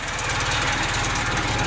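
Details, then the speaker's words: Suzuki Samurai idling after welding a cracked exhaust down pipe at the catalytic converter: steady, even low putter with no puffing or ticking leaks; the exhaust is now sealed and much quieter. "so that's the moment of truth she is quiet"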